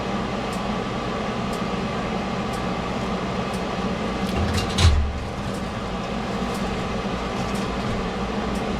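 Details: Ford Escape after warranty AC compressor replacement: steady, even low hum with one brief bump midway and no rattle or squeal; normal AC compressor operation.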